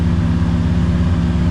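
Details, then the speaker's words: TVR Cerbera V8 freshly running on a Haltech Nexus R3 ECU, air-fuel ratio 13.3 on both banks, some ignition idle control active; smooth, steady low burble with no stumbles or hunting, idling perfectly. "Right, I don't know if you can hear but I think I've had a win. She's uh Yeah, this is kind of where I wanted to be. Uh she's idling perfectly."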